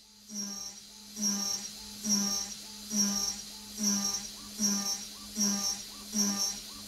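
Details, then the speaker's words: AvidCNC Benchtop Pro 2x3 gantry router with a CNCDepot S30C spindle at about 12,000 rpm, cutting steel at 10% stepover. A shrill shriek and sagging spindle hum about every 0.8 s show the spindle bogging; the cut is judged too heavy for the machine. "it sounds just okay in my opinion it's a little shrieky for my liking and you can definitely hear the spindle bogging down"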